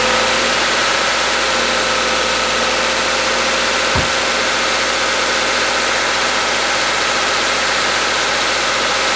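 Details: Subaru/Toyota/Scion FB20/FA20 boxer after head gasket replacement, warming toward temperature; steady even idle hum, one brief thump, no knocks or misses; exhaust smoke cleared, no check engine light; normal idle.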